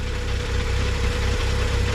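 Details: BMW N55 in stationary break-in, warming up while transmission fluid is added (about seven litres): steady, even idle with low rumble and faint constant tone, no knocks or misses; healthy.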